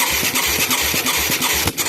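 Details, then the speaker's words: Mid-1980s Yamaha YFM200 Moto 4 ATV with replacement carb and new plug: rough lumpy firing at about four beats a second, then a sharp pop back through the carburetor; owner suspects a valve problem, not confirmed. "Oh yeah, pop in my face. I love it. Yeah, that sounds like a freaking valve when it does that."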